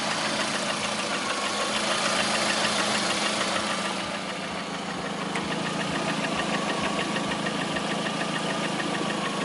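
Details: Lada Priora with 21126 engine at steady idle: light, fairly regular tapping around three per second over the engine hum; knock at idle, source not pinned down.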